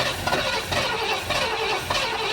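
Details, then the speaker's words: 1973 Ford Econoline van, 302 V8, C4 transmission, parked 7+ years; cranked via jumper to solenoid with fuel line disconnected and no fuel from it; even slow cranking pulse, never fires; no fuel supply. "it won't run because i have the fuel line disconnected so there's no garbage going in it but we'll throw a little more gas in and i'm not getting any fuel out of the fuel line either"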